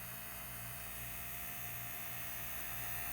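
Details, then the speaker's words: Steering servo of a vintage 1978 Shinsei Lamborghini Cheetah (Fire Fox) RC car, revived after long dormancy: faint steady electric hum at one pitch in a quiet room, servo straining and moving slightly when not perfectly centered; digital proportional steering. "Now, it'll have a tendency to kind of move just a little bit and hum if it's not perfectly centered."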